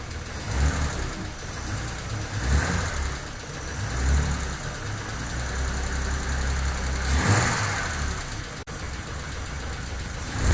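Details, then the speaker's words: 1988 BMW engine being revved: uneven rev bursts every few seconds with a rough, clattery ticking following the revs; source unconfirmed; engine ticking noise when revving. "Ça fait du bruit par contre, hein. Il cliquette. Un joli bruit ce moteur."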